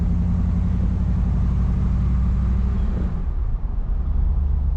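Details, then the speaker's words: 1980s Pontiac Trans Am V8 with new exhaust manifold gaskets; deep, even rumble at steady idle, no ticking or puffing from manifolds: normal exhaust, no manifold leak. "and if you can't hear it, it's got new exhaust manifold gaskets."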